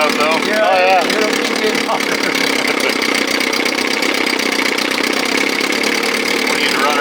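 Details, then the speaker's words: 1957 Montgomery Ward Sea King 5 hp outboard, on a transom, no thermostat, no cover; fast even two-stroke buzz with loud raspy exhaust and no misses: normal running. "oh yeah I want to hear that yeah I mean it sounds great that's exhaust"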